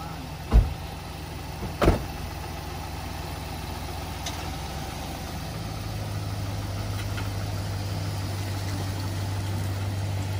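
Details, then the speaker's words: Truck just fitted with new 4.56 differential gears, rolling slowly with listener outside: low steady engine and drivetrain rumble, no whine or howl rising with speed; gears sound quiet. "Well, boys and girls, I don't hear anything."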